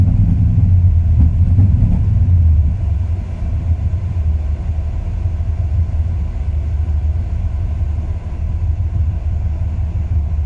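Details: 2002 Ram 1500 5.9 V8 warm idle, rough and low, sagging and loping with rpm drops; runs perfect cold, problem starts after 3-5 minutes; new plugs, wires, cap, rotor, cam and crank sensors didn't fix it.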